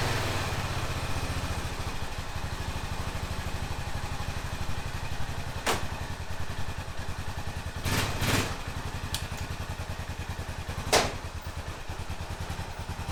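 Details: 2005 Honda TRX650 Rincon, 650cc single-cylinder four-stroke, pulling away on a test ride after a no-run condition: steady, even thump with a few louder bangs, no misfire; runs well, though the carburetor may need slight fine-tuning adjustment.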